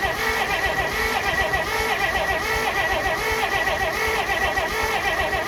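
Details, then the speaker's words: 1948 Pontiac Silver Streak straight six, sitting since early 90s: starter churns the engine in a steady rhythm but it never catches; no spark because the distributor rotor was left out, owner believes. "I believe what I did was I forgot to put the rotor back in and so cuz now it should have spark pretty much everywhere now I believe I believe that was my issue like an idiot"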